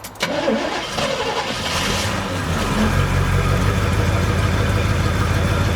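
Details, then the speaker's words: 1972 Chevelle Malibu, original numbers-matching small-block V8, automatic, key start after sitting 15 years: brief crank, then it settles into a steady, lumpy idle while smoking a little. Normal start and idle. "this is awesome all right she's smoking a little bit but what do you expect after uh 15 years"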